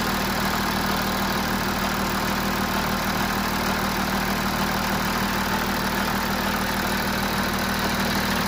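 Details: Audi A6 C7 (4G) 3.0 TDI V6 Quattro idling cold before service, steady timing chain rattle under the diesel clatter; the faulty timing chain tensioner and exhaust camshaft were later replaced by Audi service.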